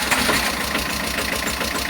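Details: Tata Ace Gold diesel after water was drained from the diesel filter and its sensor cleaned: starts and settles into a steady idle with even low thumping and no misses. It had stalled while running and would not start. Normal idle.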